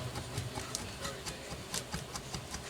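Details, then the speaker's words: Homelite XP-1000 chainsaw crankshaft turned by hand after teardown shows uneven dry clicks and gritty ticks; the bearing is judged shot, with moisture corrosion nearby, though another bearing feels smooth and quiet. Worn crankshaft bearing. "So that bearing is shot. Here's more evidence of that moisture."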